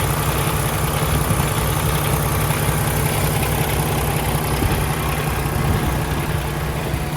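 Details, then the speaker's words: 2016 Peterbilt 579 with Paccar MX13 455 hp diesel and Eaton automatic, hood open: steady low rumble with even clatter, no knocks, misses, exhaust smoke or blow-by from the oil filler cap; healthy idle. "It appears to be running excellent. No unusual noises, no smoke out of the tailpipe, no blow by coming out of the oil filler cap."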